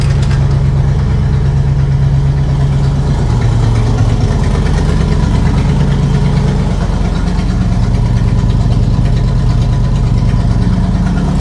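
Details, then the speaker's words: 1976 Chevrolet K20 3/4-ton 4x4 truck, V8 revived after sitting for years; smooth, even idle with no misses after likely new carb, no carb adjustments yet. Owner unsure if it was the carb or a vacuum leak. "Guys, that is way better. I'm sure you can tell. That runs so much better."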